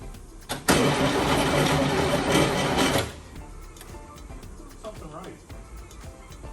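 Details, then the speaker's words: Project Subaru Baja after six months sitting, with a freshly charged battery: the starter churns the engine steadily for about two seconds, then stops, and it never catches; it cranks but won't start because it is out of gas. "well, it's out of gas, so we need to fix that."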